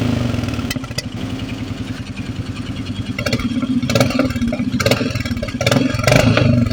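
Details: Royal Enfield Meteor 350 single-cylinder engine as revs rise and fall: thump with a light uneven clatter riding over it; unidentified engine noise, with a pick-up issue also reported.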